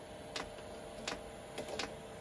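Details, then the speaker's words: Chinese diesel air heater on an Eagle bus conversion after reseating the fan Hall RPM sensor to fix Error 06: crisp ticks about every half second to second over steady fan hum, fuel pump dosing normally at startup. "i'm smelling something it's there goes oh it's clicking"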